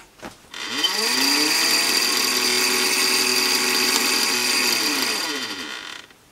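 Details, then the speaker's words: ProsKit SS-331 desoldering station, quieter replacement fan just fitted, powered up with iron unplugged and covers off: fan spins up to a steady whir with fast scratchy ticking, then winds down; blade rubbing on internal wires. "it's rubbing on some wires isn't it"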